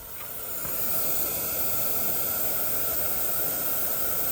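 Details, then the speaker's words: Peterbilt truck parked with engine off, steady loud hiss of air escaping from a leaking air suspension airbag, losing significant air pressure; both airbags to be replaced. "So you can see it's losing a significant amount of air pressure with the truck shut off."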